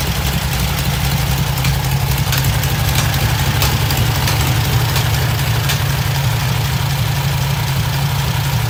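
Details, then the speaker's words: 1972 VW Super Beetle 1600 air-cooled flat-four, newly built engine, after mixture screw and idle speed adjustment: even, low chuffing at a settled idle with no misses or stumbles; normal idle. "then you start lowering down your uh your idle and that's kind of where it's set now"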